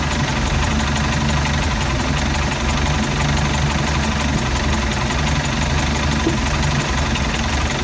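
Low, heavy idle that shakes and stumbles irregularly instead of settling into an even beat; rough idle, cause not yet pinned down.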